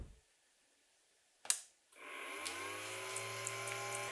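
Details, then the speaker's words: Refrigerator controlled by an STC-8080A+ thermostat, switching on with its compressor: a click, then an old computer cooling fan with a worn bearing spins up with a rising whirr, a rough hum and a scratchy, whiny edge. "Le ventilateur fait du bruit, car il provient d'un vieil ordinateur. Le roulement est déjà usé."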